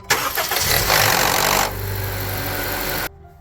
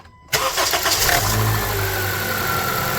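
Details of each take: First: 2014 Honda CR-V petrol engine cold start: harsh metallic rattle for about a second, then idle; VTC actuator rattle not cured by a new timing chain tensioner or stretched spring, fixed by replacing the VTC spring. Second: 2014 Honda CR-V cold start after replacing the VTC spring with a Spring-Start extreme kit (thicker 0.63 vs 0.51 wire): engine catches quickly and idles smoothly, cold start rattle gone.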